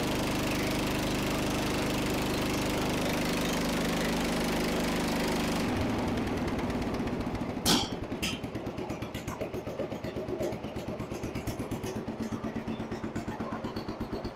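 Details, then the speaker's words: Restored Jacobsen Chief 800, high idle screw just tightened: smooth steady high idle for several seconds, then a clean drop to an even low-idle chug; governor holding speed properly. "I think I'm pretty happy with that."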